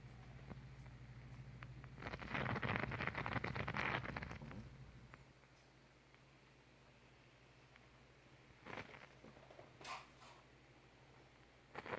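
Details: Vicks steam humidifier: steady low hum broken by bursts of bubbling, burping, gurgling water noise, even though the rods and inner housing are clean of minerals.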